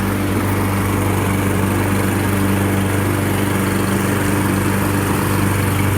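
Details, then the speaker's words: Toro SmartStow Recycler 22-inch self-propelled mower, after seasonal maintenance, test cut on grass: single-cylinder engine holds steady even buzz without bogging or misfiring; normal running under load. "I'm going to cut this little strip of grass here. This is just my test run."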